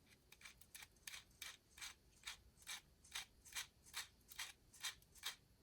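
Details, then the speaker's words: MA-030 Evo RC car with newly installed front one-way differential, turned by hand: dry rhythmic scratching about twice a second as protruding diff screws rub the housing; little resistance. The screws needed sanding, and it broke in quickly. "after installing the front one way and closing up the differential housing I noticed that there was a little bit of grinding coming up from the front of the car there wasn't really any resistance but you could definitely hear something going on"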